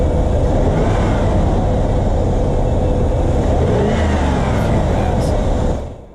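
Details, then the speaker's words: 2004 Dodge Dakota SLT Club Cab, 4.7L V8, 117k miles, fresh oil change: exterior shot of start-up and revs, strong even V8 roar with clean blips dropping back to a steady, very nice idle; no ticks or misfires; normal. "ends up real nice comes back down to idle very nice it's it's that the idle very nice"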